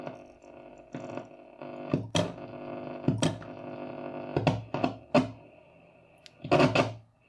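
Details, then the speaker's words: Braun T1000CD receiver after AM IF alignment and BFO work: irregular sharp crackles and pops cutting through faint received tone when finger released, from dirty contacts on the band-switch barrel. "if I let go there is still something wrong with those contacts on the barrel and it's very annoying see that noise"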